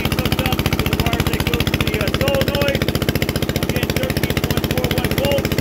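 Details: Onan 3.0 DJA single-cylinder diesel generator set, no muffler, running at 75–90% of maximum capacity, heard from about a block away: very loud even beats near 220 a minute, steady and regular; normal running under load.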